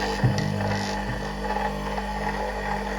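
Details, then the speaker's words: Capacitor motor on 220V with its working capacitors connected, plugged into the socket: a steady, low, even hum with no knocks or rattles. It is running normally at about 3,000 rpm. "Now it will start for us Let's start So we plug it into the socket The engine"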